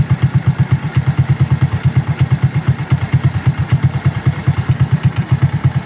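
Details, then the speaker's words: Smash Fi motorcycle at the first cold start in the morning: a steady, fast tak-tak pulse over a low idle thrum. The owner newly hears this ticking, its source is unknown, and he asks whether it is normal. "Pag sa umaga, pag unang bukas mo, oh, may tak tak tak."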